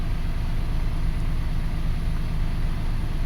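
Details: 2005 Toyota Passo with its intermittent no-start fixed by repairing the ignition coil ground; smooth, even low rumble, steady beat, no misses or knocks, idling cleanly on all cylinders; normal idle.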